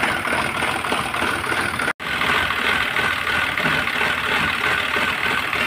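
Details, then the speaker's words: Renault Triber petrol engine idling, head work done by another mechanic 10–15 days earlier, check engine light, code P0016 cam/crank correlation, engine stalls by itself: rough ragged stumbling idle; severe misfire from cam timing thrown off by a stretched timing chain. "और गाड़ी कर रही है missing a अपने पास आई है हमारे भाई है वो लेके आए है अभी दिखाओ जरा इस बार बहुत बुरी तरह इंजन ड़ रहा है य ठीक"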